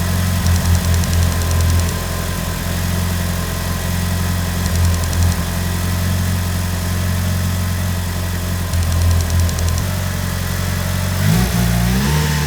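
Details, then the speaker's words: Mitsubishi Evo (restored 2019, little driven) after bench-cleaning and freeing a stuck number 3 injector: steady, even idle with smooth low rumble and a quick rev blip; now starts better and idles smoothly despite old fuel; normal idle. "So that turned out really well. The car now starts better and it idles smoothly even though the fuel is old."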